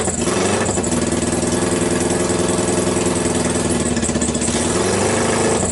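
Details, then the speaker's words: 2012 Kawasaki Ninja twin on single homemade-manifold Keihin PZ30 clone carb, choke on: runs rough and loud with uneven blips, revs swell slowly after throttle opening; hesitation off idle. "it had a it had a tendency I would give a gas and it would lag it would an instantly respond"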